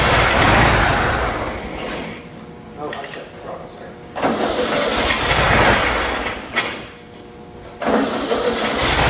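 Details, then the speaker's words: 1972 VW Super Beetle air-cooled engine, first start after sitting 30 years, choke and throttle held open: rough catches and roars in bursts, fading between sprays of fuel. It fires right up and runs, sounding basically healthy. "Nathan, she runs, dude. That is 30, so cool. Sitting 30 years and she's a runner."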